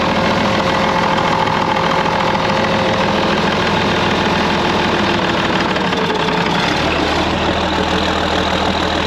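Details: TD15C dozer diesel in freezing weather, new starter, refuelled and primed after running out of fuel on a hill: steady rough-edged idle keeps running evenly without stumbling or dying; normal running.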